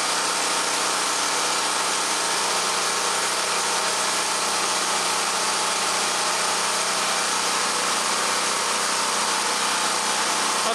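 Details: Champion 46514 generator (3500W rated/4000W peak), about 3 years old, running in a garage on a warm day, no load yet. Steady, even small-engine buzz with no surging or knocks, speed already evened out: normal idle.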